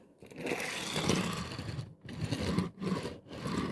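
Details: Old wagon with deep flanges on Tri-ang/Hornby model track, Series 3 and Super 4 joined by converter rail to System 6: a gritty rumbling clatter in short runs as it rolls. The wheel flanges are hitting the rail chairs.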